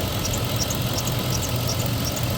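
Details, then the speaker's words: 2003 Chevrolet Tahoe at operating temperature after water pump replacement, idling with a high chirping squeal repeating several times a second; owner unsure whether the new water pump or the belt is the source. "Are you gonna tell me a brand new water pump's making that noise, or is it just my belt?"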